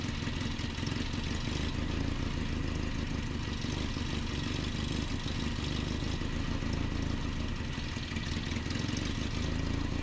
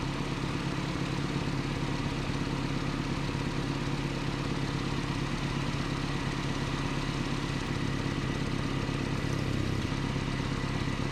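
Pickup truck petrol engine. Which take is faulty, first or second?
first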